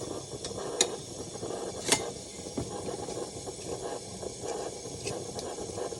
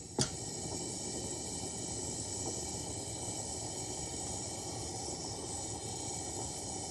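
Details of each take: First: Vintage Coleman pressure burner, apparently the 1952 252 military-spec being repaired (the 1950 242C is also restored): a soft, steady hiss with light handling clicks. It holds pressure and works; in pretty good shape. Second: Repaired 1952 Coleman 252 pressure lantern on a size 21 mantle, probably too small: sharp pop then a steady loud roaring hiss as fuel hisses through. Unusually long fireball on a junky, damaged mantle.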